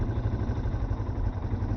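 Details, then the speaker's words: Yamaha Serow single-cylinder motorcycle idling before the idle is lowered; an even, quick thump sitting a touch fast with no hunting or misses. Idle speed set too high. "Let's lower that idle a little bit. There we go. That sounds a little bit better."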